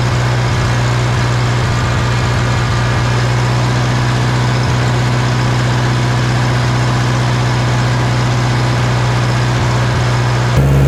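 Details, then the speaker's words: 1960 John Deere 1010 diesel after engine rebuild, idling right after injection pump was twisted to adjust timing to cure smoking; big improvement, steady even idle with firm low rumble, no misses or knocks, running great. "wow that made a big difference look at that that is what I wanted to see that is running great"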